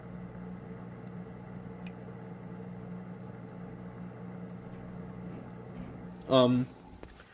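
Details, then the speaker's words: Aquarium filter running normally: quiet, steady hum with a faint motor whir and no rattles or air-bubble noise. "usually filters when they're running like mine I'll just give you a demonstration produce a humming sound and you could slightly hear the motor in this filter"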